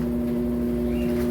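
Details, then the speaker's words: Washing machine after technician replaced the hose; it had stopped spinning, now spin-tested: steady even low hum, no knocking, scraping or wobble; normal spin cycle. "Ó, tá centrifugando. Tá vendo? Tá ouvindo o barulhinho? Tá centrifugando. E show de bola, gente."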